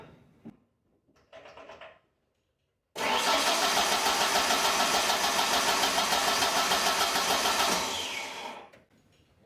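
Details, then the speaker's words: 1996 Ford Ranger after fuel pump replacement, pump confirmed running, very little old fuel in tank; steady cranking about three and a half beats a second for nearly five seconds, never catches; low fuel suspected. "well I have a feeling there's not enough gas in there so I'll run to the gas station pick some up we'll try this again"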